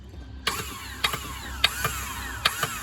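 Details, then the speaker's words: 1997 STX900 personal watercraft will not crank: repeated clicks and a short metallic whir on each key try, but the engine never turns. The cause was a failed Bendix drive that no longer slides out to engage. Starter, solenoid and Bendix were replaced. "this is the bend x right there that's the part that's failed"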